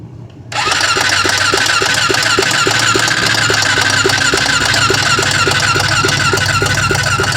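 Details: Honda 400EX ATV on its electric starter: steady, even starter churn at about three and a half beats per second with no firing; cranks but won't start.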